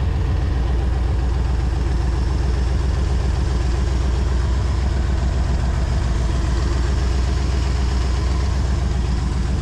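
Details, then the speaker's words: 1969 Ford Galaxie XL convertible idling after a belt was tightened; bad exhaust, and a deep lumpy idle at about four pulses a second from a vacuum leak. An unconnected vacuum line is found, and reconnecting it makes it run better. "definitely needs exhaust exhaust is horrible I hear a vacuum leag somewhere still runs a little rough"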